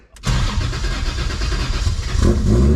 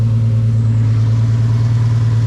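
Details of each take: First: BMW E46 M3 with 1.5JZ swap, first start after trigger setup: cranks, catches and runs rough about three seconds with a brief rev, then stalls; fuel trims need adjusting to idle. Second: First start after a two-year build of a turbocharged 1.5JZ straight-six swapped into an E46 M3: steady, even idle with a deep smooth drone, no knocks or misses, turbo spooling; air-fuel ratio reads about 13.8–14, slightly rich; sounds healthy.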